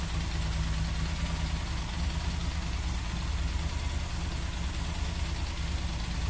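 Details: Yamaha XJ6 idling too high at about 4000 rpm: even, fast idle that won't settle; a hole found in the small vacuum hose lets in false air, raising idle.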